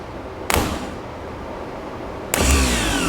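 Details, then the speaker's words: Faulty remanufactured Autozone starter for a 1983 Porsche 944, bench-powered without powering the solenoid field: two short free-spinning bursts with falling whine and no engagement clunk; pinion not throwing out. "It's not working. That's fascinating. It does not pop out."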